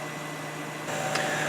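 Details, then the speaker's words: Kenmore dehumidifier, cabinet off during cleaning and maintenance, cold winter conditions, a few minutes after the compressor restarted: steady fan whoosh over a smooth compressor drone with no rattles or knocks; fan and compressor both sound good, running normally. "after a few minutes this thing is running very well and sounds very happy - all good I say this kind of cold down here so yeah running great band sounds good and so does the compressor"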